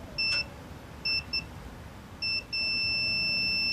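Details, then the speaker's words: Multimeter continuity test on a new Nissan Navara D40 transfer case sensor (4WD light fault): a few choppy beeps, then one steady high beep held through the whole plunger travel. The switch closes cleanly and the new sensor is good, unlike the broken old one. "And we have continuity the entire way."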